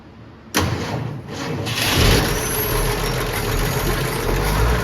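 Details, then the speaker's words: 1971 Ford F250 unrun 22 years, untouched except fuel added, started cold: cranks, catches, then loud uneven idle with a dull rumble underneath; owner concerned about engine noise and hopes it smooths with temperature. Rough cold idle, cause unknown. "she not quite turn like a kitten but I think with a little temperature in it"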